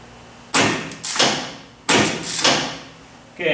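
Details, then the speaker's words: MEP-004A 15 kW four-cylinder military surplus diesel generator that sat for years: several heavy clunks as the solenoid pulls in but the starter never turns; corroded solenoid contact plate. "you can hear that the solenoid is actually moving there but the starter motor wasn't turning"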